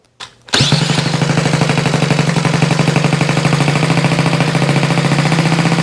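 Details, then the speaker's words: Restored Honda Z50 mini trail motorcycle, first electric start after rebuild from parts, on choke with no throttle cable and idle screw raised: starts crisply and holds a quick, even putter with no misses or knocks; normal fast idle. "maybe a little bit more idle let's try that maybe a little bit more idle woohoo oh that sounds good woo that sounds good"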